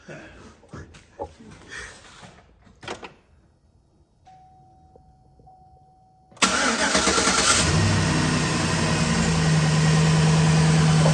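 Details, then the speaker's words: 2012 GMC Sierra after replacing coil packs for multiple-misfire codes, no dash codes: cold start catches cleanly into a steady, even fast idle around 1200 rpm settling toward 800, smoother than before, no stumble or miss. "he said it's a high idle right now 1200. 800 RPMs don't sound like the needles don't sound like it's jumping because you could actually hear it"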